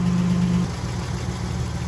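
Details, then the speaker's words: Nissan 300ZX Z31 engine idling steadily during a tune-up, after the oil filter change and oil refill: even low rumble with no knocks, misses or ticks; engine sounds healthy. "Alright, Andrew's refilling the engine with oil. Sounds like the engine is in shape."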